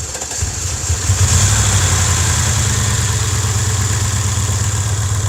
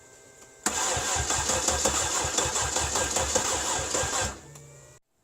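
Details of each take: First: Cadillac 300 HP Northstar V8 first started after a fuse was replaced and the battery fully charged (charging at 14.7 V), exhaust broken: brief crank, then a steady, even V8 idle with no knock or miss. Normal start and idle. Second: Cadillac with a 300 HP Northstar V8: the starter cranks at an even three or so beats per second for about four seconds without catching. Crank-no-start caused by a blown PCM fuse.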